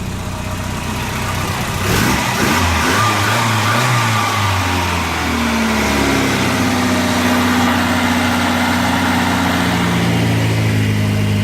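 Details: Volvo 240 after fuel pressure regulator replacement, previously barely running: steady, even idle that picks up smoothly on throttle and settles back without stumbling; fuel delivery healthy, repair successful.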